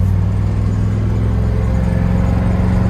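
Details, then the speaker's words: 1975 International Harvester 150 pickup on its first drive in 14 years, cruising: low, smooth, steady drone under road load, no knocking, ticking or whine; engine sounds healthy. "engine sounds good"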